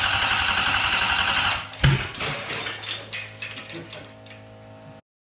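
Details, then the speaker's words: 1UZ V8 swapped into a Ford Falcon, start attempts, cold start injector not yet fitted: uneven bursts of firing that fade and die within about three seconds; engine catches but cannot sustain itself and stalls. "we got the engine fire it up not really staying running right now we'll figure it out next time"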